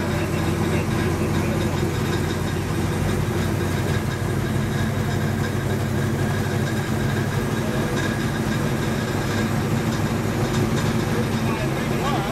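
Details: 1935 Chevy Master with fresh 409 stroker V8 at first start-up on jack stands: steady, deep, even idle with a slight cam lope and no knocks or ticks; oil pressure and temperature good, so the idle is normal.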